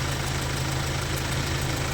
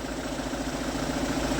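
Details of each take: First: Kia Sorento D4CB diesel at idle: a sharp, regular ticking chuff rides over the clatter. The injector sealing washer on cylinder number four is leaking and letting compression escape, causing blow-by. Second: Kia Sorento D4CB diesel after work on the number-four injector washer, the alternator pulley and four idler bearings (blow-by issue): steady, even, smooth idle clatter with no chirping or squeaking from the belt-driven pulleys.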